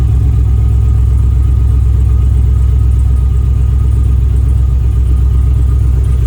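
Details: 6.0 V8-swapped Camaro restarted after tidying wiring and commanding the fuel pump on; uneven, lumpy idle with irregular stumbles: misfire because the coil harness is wired backwards.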